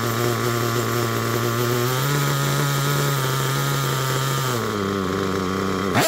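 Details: Picco P3TT DLC nitro engine, almost 10 gallons through it, new bearings and connecting rod, worn crankshaft, damaged sleeve and block: high buzzing note wavering and sagging before dropping off; uneven, struggling idle.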